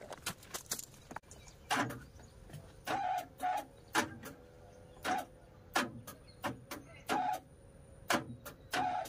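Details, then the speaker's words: Hyundai Santro Xing central door lock, actuator cycled electrically with lock removed: short buzzing bursts and light clicks, only slight vibration, no solid latch clunk; actuator too weak to throw lock, to be removed and adjusted. "எலக்ட்ரிக்கலாக பண்ணும்போது லைட்டாக சின்ன vibration தான் இருக்குது."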